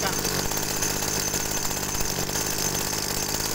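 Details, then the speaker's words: TU26 two-stroke agricultural sprayer engine during carburettor adjustment for high fuel consumption: high buzzy drone with a harsh, raspy edge at steady speed; mixture set too lean, needs richening slightly. "nah ini kedengarannya gereng ya mesinnya ya kedengarannya gereng mesinnya ini terlalu irit"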